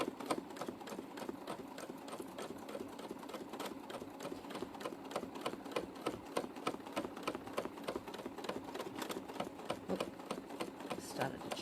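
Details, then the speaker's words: Sewing machine free-motion quilting with glamour thread and a possibly blunt needle; fast, slightly uneven, chunky stitching clatter; noise caused by too large a gap between fabric and foot. "now it's making that noise because the gap between the fabric and the foot is too much"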